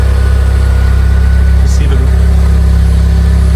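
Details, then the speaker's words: Fiat 500 bought as spares-or-repairs, after a new head gasket and exhaust repair: smooth, even low idle hum, quiet at the front with no leaks or puffing, a slightly throaty note from the rear; sounds healthy. "That sounds mad, doesn't it? That sounds really nice. Really, really nice."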